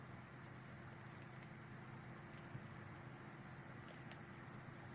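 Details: Renault Triber RS petrol engine idling with a steady even low hum, no knocks or surges; normal idle.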